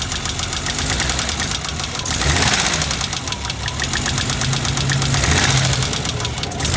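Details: BMW 325i E30 rough idle after fourth valve adjustment via eccentrics; uneven idle with sharp irregular ticking, louder from one or two valves; owner suspects clearances still set wrong, feeler gauge feel uncertain.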